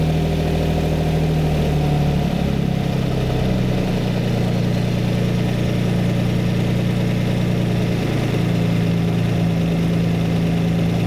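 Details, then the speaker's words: Lamborghini V12 with 12 carburetted cylinders during carb balancing: lumpy, wavering idle whose note shifts as each carb is adjusted, smoothing out. One carb admits more air and the mixture is rich; all 12 cylinders end up balanced. "all right and again it doesn't sound too bad but it's it's lumpy it's not happy so I'm going to go around each Inlet and listen"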